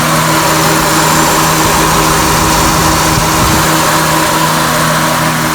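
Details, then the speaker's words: 2000 Honda Accord four-cylinder, A/C switched on after adding refrigerant to a compressor whose clutch had not engaged. Clutch heard engaging; steady idle with a faint even compressor hum, no knock or squeal: normal A/C compressor operation. "Just turned it on back on. I could hear it come on."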